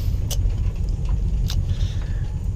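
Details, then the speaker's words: Mitsubishi Pajero 3.8 V6 gasoline driven after fuel pump replacement; it had no power and backfired before the fix. Under load a deep, steady rumble pulls hard with no popping or stumbling, strong and healthy. "So parang ano na Alam mo ang lakas humatak Syempre B6 po ito e"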